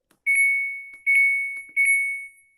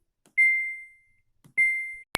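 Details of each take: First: Samsung Diamond washing machine: pressing start gives long high beeps and it refuses to start, while power on/off and all other buttons work normally; before the reset-button fix. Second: Samsung washing machine control panel that won't start, beeping twice on Start: here the proper single clean high beep, demonstrating the correct one-beep acknowledgment versus the fault's double beep.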